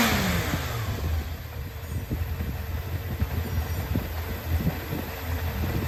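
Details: Yamaha XJR400 (4HM, early model) engine assembly, compression tested: even, smooth four-cylinder running with steady beat and no knocks, ticks or grinding; healthy engine.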